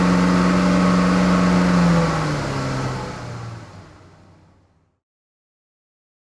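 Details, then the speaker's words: Cheap Maserati idling after refitting the thrown accessory belt despite a torn tensioner pulley, air conditioning on: smooth steady hum without squeal or chirp, then winds down to silence; no battery warning, power steering works. "It's running smooth. That's smooth. I've got no battery warning."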